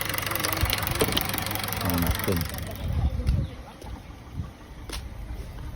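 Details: Honda City running on CNG, stumbling under acceleration; uneven exhaust pulses at idle with irregular dropouts, heavy shaking on gas; misfire traced to leaking gas injector.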